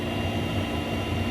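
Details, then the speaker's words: Propex heater in a VW T25 Autosleeper Trident camper, switched on from the cupboard and lighting with a whoomp: steady low roar and even blowing rush, no flutter or ticking, running normally. "Flip this switch, the little lights come on. Makes a bit of a noise. And whoomp! It has just gone."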